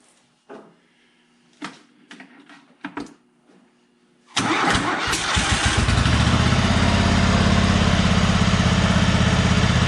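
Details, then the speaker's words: John Deere G100 garden tractor after rocker arm, push rod and valve spring keeper repair: cranks, catches and settles into a steady, even idle with no misses; idle good, runs smooth. "so idle's good now runs pretty smooth"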